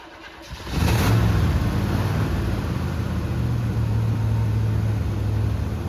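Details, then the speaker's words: 1974 Chevy C10 that sat for a long while, Quadrajet carburetor: catches and settles into a low, lumpy idle with an uneven, wavering beat; rough running, so the carb top was taken off to inspect. "Well, it wasn't running right, so we took the top of our quadrijet off."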